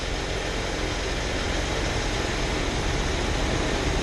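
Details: Chrysler at regular idle after a new alternator, with a new carburetor and distributor fitted: a low, steady rumble with no knocks, ticks or whine. Charging holds 14.6 V and there is a slight engine shake of unknown cause.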